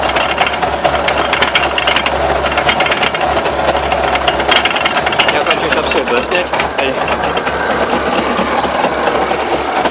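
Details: Irregular sharp knocks and rattles in clusters over a running engine. Owner asks what the knocks are and whether the drive shafts could be bent. Cause suspected, not confirmed.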